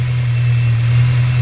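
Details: VW Scirocco with a freshly rebuilt MK6 Golf-type petrol engine, started on 4–5-year-old fuel: a steady, even low hum at cold idle with no knocks or misses. It is running as it should.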